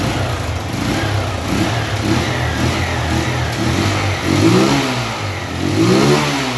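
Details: Honda Fan 125 that would not start, after splicing a longer wire, battery fully discharged: single-cylinder engine running, blipped twice, revs climbing and falling cleanly with even beat; runs normally.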